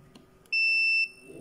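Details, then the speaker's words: Logitech S-220 2.1 speaker amp board (bass output dead), continuity test across another capacitor: one short high beep about half a second, then silence as it charges; healthy capacitor. "bip dedi ve sesini kesti arkadaşlar Tekrar bakalım bakın doldu"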